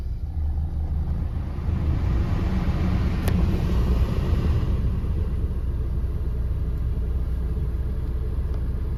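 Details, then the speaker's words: 2013 Maruti SX4 diesel, about 2 lakh km, after replacing steering ball joint, tie rod end, both shocks and bushes, plus alignment; previously knocked from the left on rough roads; now on-road test gives only low even rumble, no knocks. Normal steering and suspension. "ഇപ്പോഴേ steering ഭയങ്കര free ആട്ടോ നമ്മൾ first എടുക്കുമ്പോൾ തന്നെ അറിയുന്നുണ്ട് ആ ഒരു അടിയൊക്കെ പോയിട്ടുണ്ട്."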